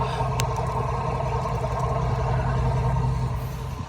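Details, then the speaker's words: 2005 Dodge Ram 1500 5.7 L V8 after wiring repair and spark plug replacement, previously running badly, heard at the exhaust: smooth, even idle with a steady low rumble, no stumble, miss or ticking; normal idle. "So, sounds really nice to me. And back to the back of the exhaust. You actually hear it for yourself. Looks perfect. Beautiful."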